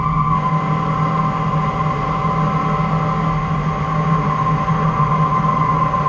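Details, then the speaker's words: CNC lathe boring with a carbide boring bar and 0.031 nose-radius insert: steady cutting hum with a faint ringing tone. Mild boring bar chatter remains, much less screaming than the steel and heavy-metal bars, with the finish still around 70 Ra. "still chattering but it's not screaming like the other Bars were so that just goes to show you what a difference your bar Choice can make"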